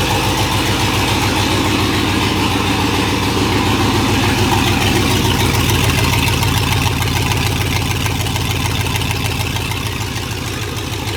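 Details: Monster truck school bus V8 that sat all winter, run with no exhaust or muffler fitted: very loud, raw blatty low rumble with sharp exhaust pulses; owner now looking at muffler options.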